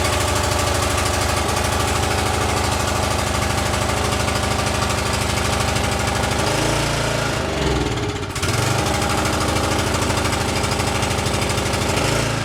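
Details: Exmark commercial mower running lean, started on choke: steady rattly beat that sags and picks back up, hunting surge from lean-running carburettor; engine surging.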